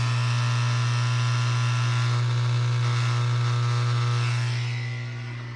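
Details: Kenmore dishwasher not draining properly, water left inside: loud steady low drain pump hum for several seconds then winding down; pump labouring.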